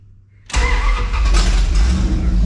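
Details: Dodge D100 long-wheelbase truck, rebuilt with GM HEI ignition module instead of Chrysler box, first start in four months with no coolant system or radiator: catches within half a second, strong even low rumble, no misses; healthy start.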